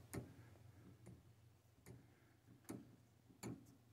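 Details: Replacement alternator one-way sprag clutch pulley from a 2007 Dodge Cummins 5.9 common-rail, off the truck, turned by hand: light, sharp ticks about once a second, normal freewheel ratchet click, locking in one direction.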